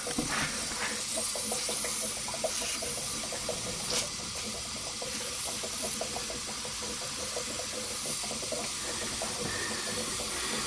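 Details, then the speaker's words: Mazda RX7 turbo under boost-leak testing: a steady, airy hiss of pressurised air escaping, a boost leak at one of the owner's poor welds. "you hear that this fucking bitch is leaking oh it's definitely leaking"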